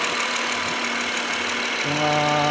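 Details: 2014 Honda Accord V6 petrol engine idling at cold start with a light, quick ticking knock, about six a second, over a hissy idle; engine knocking at cold start.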